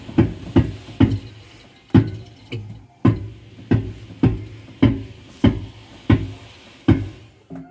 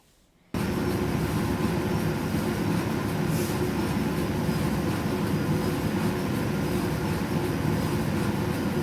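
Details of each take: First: Electrolux EDH3674PDE heat pump dryer, bought April 2019, running: heavy rhythmic thumps about one to two per second as drum turns, from a worn drum support roller. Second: Electrolux EDH3674PDE heat-pump tumble dryer after repair of a strange noise: steady even low rumble of the drum turning smoothly, no knocking or squeal; normal drum rotation.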